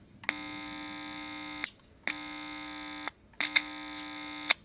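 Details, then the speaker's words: Philco 41225 radio under repair: touching the input with a screwdriver gives three loud buzzy hum bursts about 1.5 s each, showing the amplifier stage is working; tube contact or open rectifier was first suspected. "see that amp is very awake so this is a little bit hard to follow"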